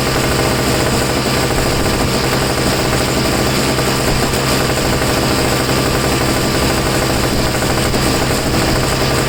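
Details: Two-stroke snow blower that sat for 10 months and failed to start because it had too little fuel. Refilled with two-stroke mix, it now gives a loud, steady, rapid rattle at even speed with no misses or surging. Running normally.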